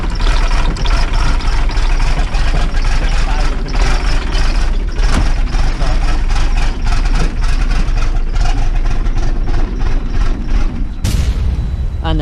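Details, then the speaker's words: Dennis Dart SLS bus (Project 114), diesel cold start in wet weather: rough, uneven clatter labouring, then it suddenly stalls, with a plan to try again; fuel starvation, later traced to a clogged fuel sediment bowl. "it stalls and we'll try again"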